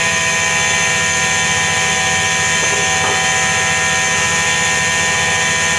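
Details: Washing machine drum spinning with a constant droning hum and a thin steady whine of unchanging pitch, typical of a worn drum bearing.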